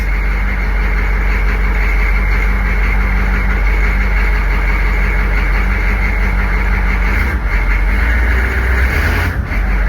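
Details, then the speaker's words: Military Humvee diesel first started after sitting 13 years, still cold: heavy uneven clatter settling to low steady idle with white smoke; owner guesses injectors, unconfirmed. "so we got we got some white smoke going on here i think i'm guessing you know probably probably these ejectors but it does run"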